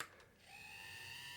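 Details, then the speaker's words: Dapol 0-4-0 steam Sentinel 'Molly' model locomotive, new and not yet run in: its small motor gives a thin, steady, harsh high-pitched screech that keeps getting worse; the owner hopes it will go away with running in. "Oh my word, it sounds like something from hell. Oh my word, that is the most horrendous noise. It's getting worse. It's horrendous. I can't believe what a noise is coming from such a tiny model."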